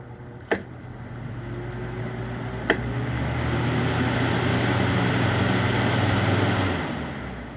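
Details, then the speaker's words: Mains-powered fan after repair, fuse bypassed and motor greased; two clicks from the rear speed knob, then a smooth even hum settling at each speed, no grinding or rattle; normal operation across speeds. "Aquí en la parte de atrás está la perilla de las velocidades. Se escucha cómo cambia."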